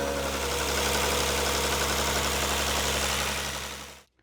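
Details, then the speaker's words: Rover 75 KV6 V6 after replacing a VIS intake flap actuator motor: smooth, even idle hum with the former intake clatter gone, then switched off; day-and-night improvement, healthy quiet idle. "Ah bah déjà là, oui, c'est le jour et la nuit. Là, je pense qu'on entend. C'est impressionnant."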